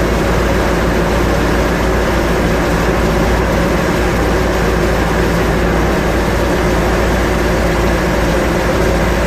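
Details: Restored 1957 Chevy Bel Air V8, 5000 miles since restoration, right after startup on fresh fluids: deep, even rumble with steady loudness, no knocks or stumbles; normal idle.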